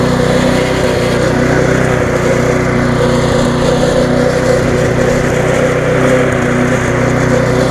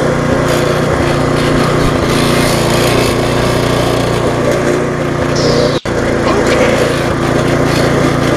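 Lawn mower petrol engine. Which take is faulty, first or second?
second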